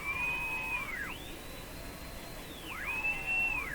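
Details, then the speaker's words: Sparton Model 5049 radio breaking into oscillation when the IF stages are peaked, with alignment now disturbed: a steady high-pitched whistle swoops down and back up as the dial moves; suspected IF feedback loop, cause not confirmed. "This thing's just whistling away at every opportunity. Now I've really messed up the alignment."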